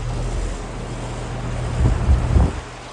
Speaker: It has a Genteq motor. It has a scroll compressor. This is a straight cool unit. It's also from 2022 and it's a 3 and 1/2 ton. Suction line is getting cold in that one as well. It's working really good as well.